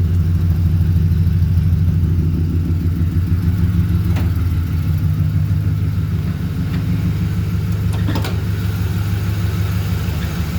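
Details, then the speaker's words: 2008 Ford truck, 4.6 L V8, after owner's fix of month-long shaking idle that also cut the air conditioning: even, steady low idle with no stumble or shake; running smoothly on all cylinders. "Okay. See how nice and steady that is? It's not shaking and all that kind of stuff."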